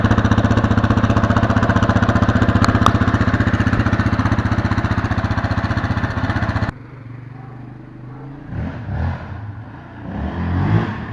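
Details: 2019 Yamaha Raptor 700 on its stock single exhaust, with intake and tuner already done, before the Barker's dual exhaust install: deep, even single-cylinder thump at steady idle for several seconds, then shut off; runs clean and healthy.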